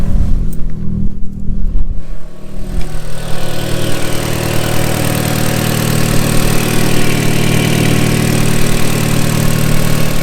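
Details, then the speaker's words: Audi S3 with the turbo not working at all, started with the MAP sensor unplugged: fires up fine but settles into a deep, rough, uneven idle with the same odd sound. Coil packs and spark plugs ruled out; wastegate actuator or turbo suspected, injectors still to check. "starts up perfectly fine no refinal still the same sound still the same"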